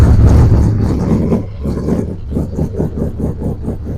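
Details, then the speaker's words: Big V8 that seems to have a cam, carburetor not yet adjusted, with a gassy smell: lumpy loping idle pulsing at about two and a half beats a second, running rich. Mixture needs setting; cause suspected, not confirmed. "sound like she got a cam in her she's definitely running rich man it's very I can smell it gassy"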